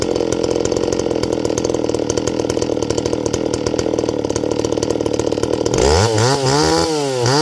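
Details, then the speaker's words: Stihl 024 AV WoodBoss chainsaw, warmed up, idle screw just turned in slightly, 20-inch bar with .325 chisel chain: steady high buzz with a rough, raspy edge when revved to full throttle; high-speed jet to be leaned out. "Now it's all warmed up. And now, when I revved it up, you hear that raspiness?"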